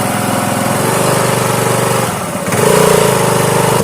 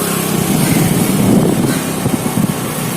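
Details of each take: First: Honda Activa scooter on its stand with poor pickup: revs unevenly with a brief rising squeal as throttle opens; CVT drive belt slipping in the variator because engine oil got onto it. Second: Honda Activa scooter after oil seal replaced (oil on CVT belt caused noise and poor pickup), full throttle: smooth even pull, steady drone, no belt slap, rattle or whine; noise gone.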